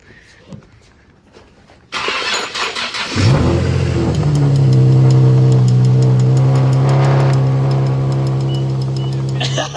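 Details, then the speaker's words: 2009 Infiniti G37 started after replacing the serpentine belt, tensioner pulley and three idler pulleys. A short crank catches at about two seconds, flares, then settles into a smooth steady idle with no squeal or chirp. Normal engine start. "yeah that sounds really good no noise"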